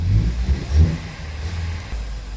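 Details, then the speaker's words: 2016 Ford Flex 2.0L EcoBoost with codes P0012, P0015, P0017, throttle snap test: deep hollow roar surging with each snap, much louder than normal, nearly stalling; intake air leak from a disconnected intercooler pipe. "now you don't have to work doing this 17 years to know there's some kind of issue and that noise isn't normal"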